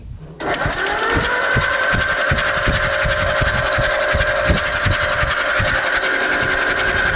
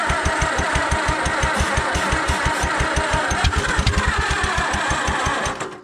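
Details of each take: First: Allis Chalmers WD tractor after in-frame engine reman: steady starter whine with even chug about 160 a minute, no knocks or grinding, oil dripping from all rockers; the rebuilt engine turns over cleanly. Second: Allis Chalmers WD tractor after in-frame engine reman, magneto reassembled, old plug wires, carburetor wide open, battery weakening: slow steady starter churn about three beats a second with a few irregular pops, nearly catching.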